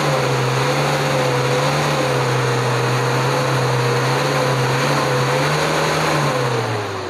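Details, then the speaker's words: Diesel with distributor-type Bosch injection pump, repaired after regulating valve failure, in neutral: holds an even raised rev for several seconds, then falls smoothly to idle without stumbling or stalling; normal revving and return. "sekaligus gasnya teman-teman. Alhamdulillah sekarang sudah normal kembali ya, nggak mati ya."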